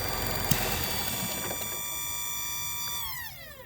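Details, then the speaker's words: 2013 Nissan Altima S with a hard-start complaint, vacuum leak induced deliberately. After the engine cuts, a thin electrical buzz winds down in pitch. Thought to be an electrical part shutting off power; stiff brakes point to a suspected vacuum leak or brake booster. "Okay. Whatever that buzzing noise was at the end, I think it's an electronic. It's a electrical piece uh shutting power off."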